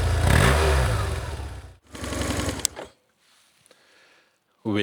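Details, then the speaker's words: 2004 BMW R1150GS Adventure boxer twin, bought as a non-runner, after the starter was removed and reconnected: cranks and catches into a deep, even thrum in short bursts, no knocking or grinding; starts and runs normally. "Will it run again? Of course it runs."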